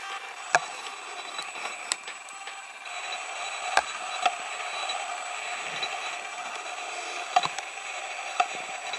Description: Got this zoom lens recently (model no. H-FS14140) and it didn't take long before I noticed a lot of odd noise coming from it. And I'm not talking about picture noise, but sonic noise sounding like some kind of feedback and distortion.